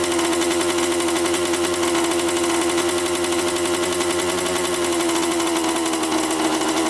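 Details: 1987 Honda CR80 two-stroke dirt bike, after mixture and carb adjustment: steady high-pitched buzz holding a constant fast idle; idle too high, cause suspected, not confirmed.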